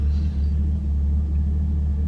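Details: Chevrolet Camaro LS3 with manual transmission and aftermarket AEM cold air intake idling after repair of a crank-no-start: the MAF sensor harness had rubbed on the power steering pulley and shorted a fuse. Steady low rumble, no stumbling or cutting out; normal idle.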